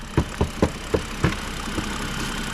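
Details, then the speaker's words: BMW at idle: a dull, heavy knock comes through about four times a second, then fades into the idle; engine knock, cause still unknown. "Ну ты слышишь же этот звук Просто я приехала она ещё подаст чуть-чуть он прям конкретный тык-тык тык слышишь глухой такой"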